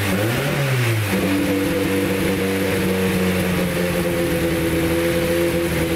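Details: Escort Cosworth race car after its misfire was traced and fixed: the engine blips, then settles to a steady, even idle with no stumbles or dropped beats; running clean.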